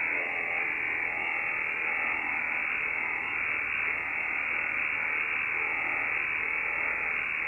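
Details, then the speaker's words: Yaesu FTdx10 receiver: constant harsh hiss with no signal, steady noise spikes at fixed interval; interference from a computer-controlled washing machine's AC variable speed motor drive. "so wow it's pretty constant right now i'll turn the volume down let me tell you what that is that is our washing machine it is one of those fancy computer-controlled washing machines"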